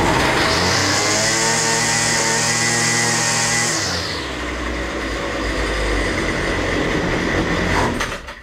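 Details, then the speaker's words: Husqvarna 128R 1 hp two-stroke brushcutter that runs only on choke: it holds strong, even high revs on choke and part-closed choke, then sags abruptly to a rough, low, uneven run and bogs once the choke is fully opened. "ale jak zauważyliście na ssaniu silnik odpalił bez większych problemów po czym jakby na pulsaniu kiedy mamy tylko lekko domkniętą tą przepustnicę nawet szedł na wyższe obroty i równo trzymał te obroty"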